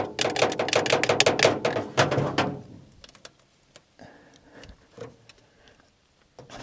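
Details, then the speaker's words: 1950 Nash Statesman unrun 23 years, plugs in, cranking on 6 volts: slow laboured cranking about three beats a second, then quits without firing; engine stiff, so a 12-volt battery was tried next. "Well, that's not good. But we do have another option. It's stiff. It hasn't run in a lot of years in 23 or something like that to be exact."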